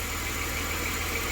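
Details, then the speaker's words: 1993 Dodge Grand Caravan LE, about 166,357 miles, on ramps after a new water pump, idler, tensioner, belts and coolant, before coolant bleeding and warm-up: a smooth even idle with no pulley growl, squeal or knock, healthy. "n't hear no growley pulley that's for sure yep sounds nice and quiet that was our main problem"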